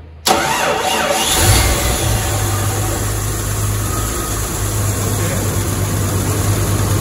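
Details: 1994 Jeep YJ after ECU repair, following earlier fuel pump and no-spark problems and a loosened alternator belt: it starts on the first crank, flares, then settles into a steady even idle with no squeal, scrape or knock.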